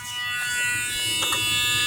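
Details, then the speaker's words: 1998 Honda Accord with key on (accessory), engine not running: steady high-pitched electric buzz from a transmission shift solenoid, which is also leaking; cause unconfirmed. Buzzing with key on, engine off. "The cars are even on. You can hear the noise. I'm gonna show you. The car's not even on. The key just in the on position. It is doing that."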